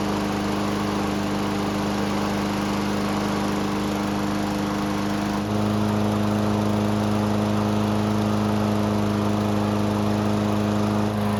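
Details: Toro mower, a couple of years old, hot restart after adding oil: starts on one pull versus three before, steady even hum that picks up slightly and holds smooth; normal running.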